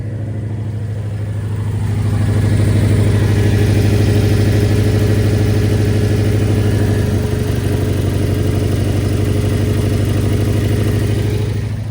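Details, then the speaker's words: Car with 88,000 km at auction, AC fitted, turbo status unknown: idle sounds uneven with a lumpy pulse about three times a second over a steady low drone, then revved; sounds like a slight misfire, cause unconfirmed. "Actually, unfortunately, I thought it was way I mean, I think it is still way for the fame spec, but it sounds like a little misfire."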